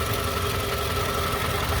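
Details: 2006 Toyota RAV4 after an engine flush and oil change. Short, steady idle with a light, even valvetrain patter and no heavy knock. Normal idle.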